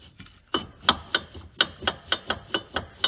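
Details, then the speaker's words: Passenger-side brake with its caliper piston sticking in the closed position, wheel turning: repeated scraping rubs, one or two a second, with light chatter as the pad drags on the disc; sticking brake caliper piston. "can hear it rubbing and you can also hear some chatter"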